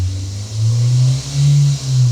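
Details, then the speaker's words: Manual car with the throttle pressed: the engine drone climbs loud and holds high, which is not normal. Around 2 (thousand) rpm on the tachometer the sound becomes normal and signals the shift to 2nd; this is over-revving. "صوت الموتور هيعلى جامد قوي. طبعا لو صوت الموتور عالي قوي ده مش شكل طبيعي،"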